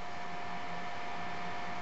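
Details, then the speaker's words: Marco/Nidek OPD Scan instrument with the case open after fitting a new cooling fan, replacing one with shot bearings, and cleaning the two rear fans: smooth quiet steady hum, no rattle or bearing noise; normal cooling fan running. "those are pretty dirty but they're in good shape now this whole thing's running nice and quiet as you can hear this thing's open and it was really loud with that other fan we took out"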